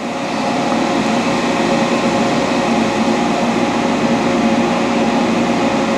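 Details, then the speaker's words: Dainichi Model H lathe, DC drive, carriage power feed running on a light cut: smooth, even whir with steady gear hum, no noise or grinding; gearbox in good condition. "as you can hear it's not making any noise gears are not grinding in really good conditions"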